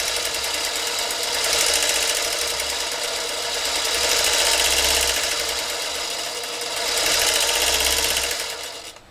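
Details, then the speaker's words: Vintage Singer Featherweight 221, unlubricated and unserviced: a fast, harsh metallic chatter that swells and fades with motor speed, dry gears running metal on metal, though power at the needle is fair. "so power down at the needle is not bad at all but I'm hearing metal-to-metal again this machine probably was sitting for quite a while it hasn't been lubricated it hasn't been serviced"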